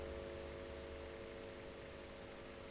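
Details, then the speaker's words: Selmer Little Giant valve amp under refurbishment: steady mains buzz with hiss, picked up because two mains leads run onto the volume control unshielded; easing significantly when an aluminum plate screens the circuit. "you've got two fully evolved Mains coming in right onto the volume control here so the chance of mains pickup are very high anyway I don't know if you can hear that buzzing away"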